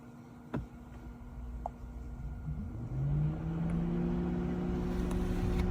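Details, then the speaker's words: Electric cooling fan switched on through a Launch X431 scan tool's active test with the engine off; low hum rises smoothly and settles into a steady drone as the fan spins up, normal cooling fan operation. "So let's take a listen and see what happens when I turn it on. You should be able to hear the fan come on."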